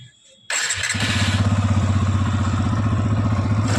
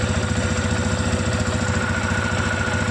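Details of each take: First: New TVS Apache RTR 160 FI BS6 motorcycle, about 5,000 km, single-cylinder starting and idling: a light, regular tik-tik tick over the thump from the engine, from excessive valve (tappet) clearance; tank to be removed to fix. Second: TVS Apache RTR 160 FI BS6 single-cylinder motorcycle, about 5000 km, idling after the tappets were tightened: even, steady thump with the earlier tik-tik tappet ticking gone.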